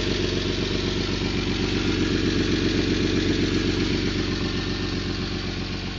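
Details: 1991 Toyota Land Cruiser FJ80, 3F-E 4.0L inline-six, 229,000 miles, at steady idle: a sharp, rapid puffing tick on every firing pulse from a loud exhaust leak around the left-most catalytic converter and O2 sensor.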